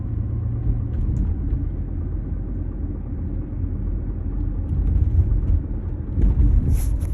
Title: 2005 Honda CR-V knocking/thumping noise from rear end (help)